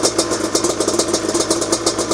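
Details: Yamaha Banshee two-stroke twin ATV idling: uneven, pulsing beat about five times a second, hunting rather than smooth; owner suspects a lean mixture, with main jet changes considered.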